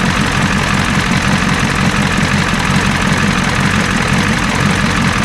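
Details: 1986 Ford F350 diesel after fuel return rail repair, now running off the tank: steady, deep idle with even clatter, no misses or surging; healthy idle.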